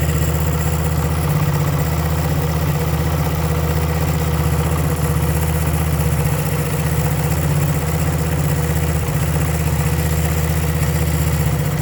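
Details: 1975 Honda CB125S single-cylinder idling unevenly, the beat stumbling and dropping out every few seconds; misfire suspected from the ignition points, new points ordered.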